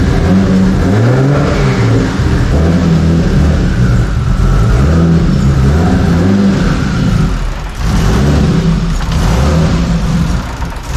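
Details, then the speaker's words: 2JZ engine after warped intake manifold welded and fresh spark plugs fitted: low slow idle around 500 rpm with a loping, slightly uneven beat, much smoother than before, possibly one weak cylinder; drive-by-wire idle may still be learning. "Well, that sounded much better. That did sound, that almost sounded like an actual 2JZ there and not a 0.3 JZ."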